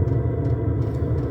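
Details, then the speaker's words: Diesel air heater in a box outside a house, burning kerosene on a -3°C morning, recorded outdoors: steady low roar from the burn chamber with fan rush and the fuel pump, no popping or surging; running healthy, pumping warm air indoors. "The diesel pump, and you hear the motor going, and the roar from the burn chamber. And that now will be pumping a nice warm air into the house."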